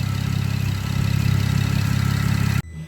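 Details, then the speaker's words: Camaro with loud exhaust, cold start after the misfire fix: steady, even low idle with smooth firing and no stumbles; misfire counts down from 99 to negligible, running clean. "Remember before we had 99 count misfires, and it's running perfectly fine now. So we're in good shape."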